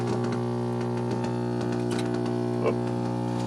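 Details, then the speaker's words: 1964 Rowe AMI Tropicana jukebox, old tube amplifier powered up before the rebuild while a record plays: a constant low mains hum drone sits under faint record and handling noise; there are major problems in the amplifier and/or preamplifier. "okay we're going to turn it on and look for explosions might get some hum here yep we're loud people again"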